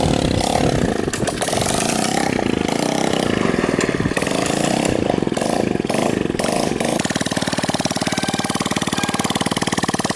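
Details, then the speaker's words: 1970s motorcycle found in the woods, fitted with a replacement engine and new wiring, first running after getting spark: uneven stumbling idle with irregular beat from the small single; rough running, cause unknown. "okay yeah there's definitely something wrong with it I don't know what to do"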